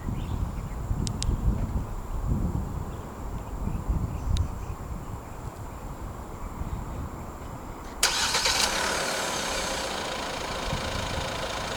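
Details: 2023 Hyundai Staria 2.2 CRDi Plus, 2.2 L turbodiesel, 175 hp, 8-speed automatic, started with remote engine start while locked: cranks, catches at once and settles into a steady, even, clatter-free idle; normal.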